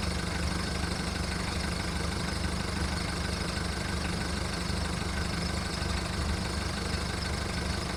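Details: VW Golf Mk1 1.9 turbo diesel cold start after 5 months of winter storage: heavy, uneven clatter at idle, about three or four pulses a second and slightly unsteady; rough cold idle.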